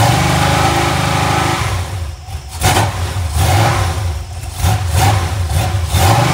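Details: Iron 5.3 LS LM7 V8, believed 2002–2003, likely BTR Stage 2 truck cam, on a run stand restarted; low idle guessed at about 600 rpm with gentle cam lope, no top-end ticking after lifters primed, healthy.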